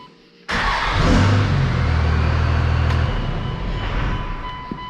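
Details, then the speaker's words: 1998.5–2002 Cummins diesel truck with replacement Blue Chip VP44 injection pump, previously hard to start hot: now fires almost instantly, quicker than before, settling to steady even idle; owner almost positive the fix solves it. "I'm almost positive this is gonna solve the issue so far it's just starting right away it's actually quicker than it has been"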